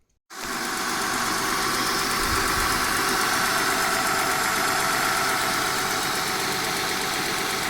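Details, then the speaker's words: Honda van engine started and driven after new water pump and timing belt, on hilly bumpy road, temperature gauge under halfway; smooth even run under steady rush, no knocks, normal running. "I'm driving along here. The temperature gauge isn't even halfway up the scale. And I'm driving on a really hilly road, and it's bumpy."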